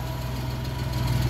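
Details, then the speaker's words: Suzuki Multicab F6A small petrol engine idling with a low, even thrum, no misses, knocks or ticks, after repair; shorted fuel pump had blown the ignition coil fuse, fuel pump replaced, engine now runs normally. "'Yun yung pinakasalarin natin kung bakit nagkaroon ng problema dito sa wiring. So ayan umaandar na. Ah try nating rebolusyon."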